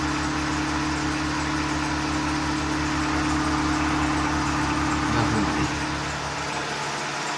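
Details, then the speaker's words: Seat Ibiza 6L 1.4 petrol, previously misfiring on cylinder four with engine light on, now idling steadily and round with no backfires; auxiliary belt audible. "For now it seems round and here we no longer hear any weird backfire than"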